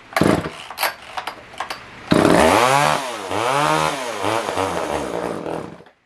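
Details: Older Poulan 1800 Wood Shark two-stroke chainsaw, no-start, carb jets found far out; it revs up and down unevenly, surging and sagging as if fuel-starved, running only on choke and dying with choke off; owner suspects it needs a carb kit.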